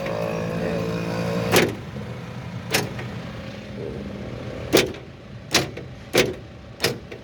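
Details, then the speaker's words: Car central locking after a car alarm was wrongly wired to the main actuator (orange wires instead of yellow and yellow/black), with the alarm disconnected for testing; quiet idle, then short sharp clunks about a second apart as the locks cycle, working normally. "Tanggalin ko muna yung presyo ng sa alarm. Ayan. Okay. So yan tinanggal ko na. So ngayon try natin to. Ayan kita niyo tumutunog na."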